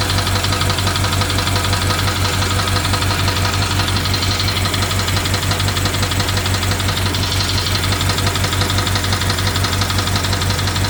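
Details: BMW 750Li N63 V8 at idle after fuel injectors and high-pressure fuel pump were replaced: sharp, regular tick about once a second with misfire; owner suspects timing chain, unconfirmed.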